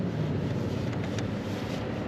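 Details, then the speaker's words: Toyota Tundra V8 cold start at 0°F (truck reads 5°F), about -15 windchill: steady, even low rumble with no knocks or misses and some wind noise; coldest start yet; normal cold start idle. "I don't know if you could hear that, but that was an interesting start. The coldest start I have ever started this truck."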